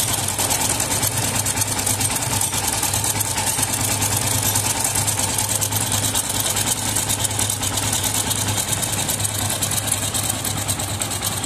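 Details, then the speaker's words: Yamaha FZS V3 single-cylinder engine idling with head cover off: busy, uneven metallic "tang tang" clatter, like knocking; tightening the cam chain adjuster bolt reduces it slightly. Loose timing (cam) chain knock; decompressor checked fine, tappet clearance next. "पुरा tongue tongue र टुङटुङ गर्छ कता छोको जस्तो कता ठोके जस्तै गरेर आवाज आउछ।"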